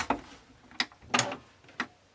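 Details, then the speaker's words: Epson ET-2710 printer that flashes two red lights after scanning: a few uneven mechanical clunks and scrapes about half a second apart, confirmed as coming from the scanner, in a quiet room; cause unclear. Scanner mechanism grinding noise. "there's that noise definitely coming from the scanner so at least I know that"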